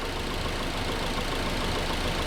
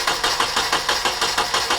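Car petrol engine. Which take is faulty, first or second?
second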